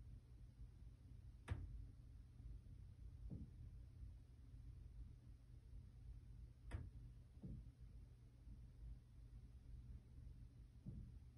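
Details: Top-floor (10th) corner unit of a 2020-built 10-storey Montreal condo, no boiler or AC unit above: dull, heavy thumps at uneven gaps from various ceiling spots over a quiet hum; intermittent banging, source not found.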